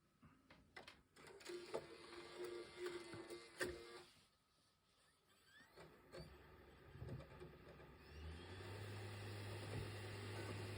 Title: PS5 buzzing noise when reading disc